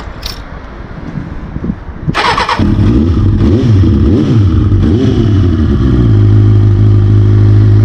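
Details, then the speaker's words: 1992 Kawasaki ZXR400 L2, sat for years, carbs fitted with new mixture screws and O-rings, run outside: cranks and catches, revs rise and fall cleanly, settles into strong even idle; runs perfectly. "I can't believe it it runs perfectly"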